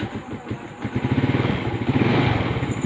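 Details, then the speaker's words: Honda motorcycle just fitted with a hidden anti-theft kill switch, set to the "on" (circle) position. The engine catches and settles into a steady, even single-cylinder beat with no misses or knocks; the switch works and the bike runs normally. "Ngayon, pinindot natin, tinapat natin dito sa bilog, dito sa baba, umandar siya."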